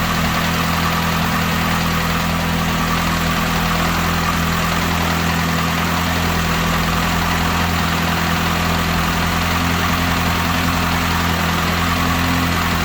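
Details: Saturn S-Series with a rear-mount turbo build, first start after fuel line work, with mowers audible nearby: steady, even idle with a constant low hum and no ticks or knocks; normal idle.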